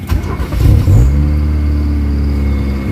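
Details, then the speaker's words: Kia Pride with white smoke, engine vibration and low power, cold start before XADO treatment: cranks, catches and holds a raised fast idle around 2000 rpm, said to drop to about 1000 after a few minutes. Normal for an older engine. "natin mataas agad yung Menor so sobrang taas sa Menor pagka mamayang konti ganyan na yung mga lumang sasakyan"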